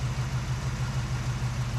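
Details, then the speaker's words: 1974 AMC Javelin, original engine without cams, idling at night: even low thrum with a steady pulse and no ticks or knocks; owner says smooth like factory, healthy idle. "So yeah, listen to that. No ticks, no noise,"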